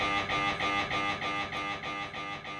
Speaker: ça fait du bruit l'IRM écoutez plutôt c'est normal et ça arrivera plusieurs fois pendant l'examen